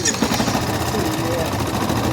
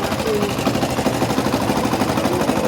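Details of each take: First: Yamaha Crosser 150 after fitting a new starter motor (worn starter bushing): the single-cylinder engine electric-starts without grinding and settles into a steady, even idle. A separate clutch-drum noise fades when the clutch is pulled. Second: Yamaha Factor 150 / Crosser 150 single-cylinder idling after a new starter gear was fitted: fast, light metallic rattle over the exhaust pulses from clutch basket (campana), reduced when the clutch lever is pulled, returning when released.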